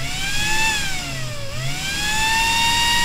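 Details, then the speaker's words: New replacement fan mounted in the side case of the MPT-7210A solar charger: a strong whirring tone with a rush of air, pitch dipping briefly then recovering; louder once mounted, as air is drawn past the metal, but running smoothly. "let's see what it sounds like now and now I've just done it and it's quite a lot louder so this is what it sounds like"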